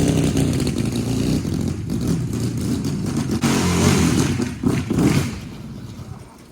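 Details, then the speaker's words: 750cc half-scale NASCAR kart, restarted with chokes down after a cold start following two months sitting. Now warm, it idles at an even, low, steady beat and runs real good. "So this thing is running real good."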